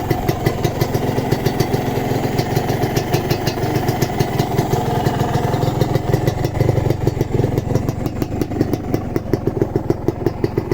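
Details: Kawasaki Ninja two-stroke (the yellow bike), recorded at idle during an engine-condition check: crisp, even popping beat with steady rhythm and no rattling or knocking underneath; healthy two-stroke idle.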